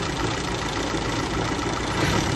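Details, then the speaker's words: 1934 Austin Seven Ruby, bought non-running at auction, first start after revival, a few leaks: old four-cylinder ticking over smoothly and evenly at steady low idle, no knocks or misses, started first try; normal idle. "lovely wow that's lovely our non running project is now a running project"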